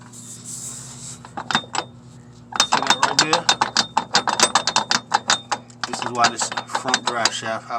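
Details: Truck front driveshaft worked back and forth by hand gives sharp, irregular metallic clicks about four a second; it is the source of a rattle from underneath, and the shaft is being removed for replacement.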